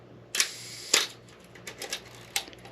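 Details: Old film camera checked as a potential purchase, shutter set to 1/2 second: two crisp clicks about half a second apart, opening then closing cleanly with no drag or stutter. The slow shutter speed works properly.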